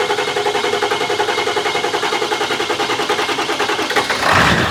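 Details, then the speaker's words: 500 hp Ford Excursion 7.3 Powerstroke diesel with hybrid injectors, dual fuel pumps, bigger turbo: first start after rebuild, even, smooth clatter at idle, healthy. "Hey! Listen at it. Purring like a kitten. Well, Sounds good."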